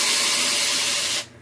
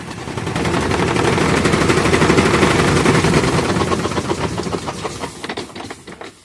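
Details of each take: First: Consul 12 kg washing machine on spin, empty with no load: harsh, hissing scrape that stops abruptly, the drive belt slipping on its pulley at the motor; customer says it screams during spin, worse with load. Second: Consul 12 kg washing machine that screamed on spin: with a different belt fitted, the spin runs with rapid loud thumping about four times a second from bouncing while tilted, but no belt squeal.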